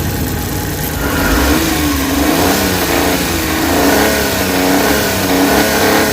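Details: Suzuki Big Eye F6A fuel-injected engine, after fixing ECM low power, throttle delay and engine vibration: climbs and settles smoothly through a few blips, pitch rising and falling cleanly with no stumble or hesitation.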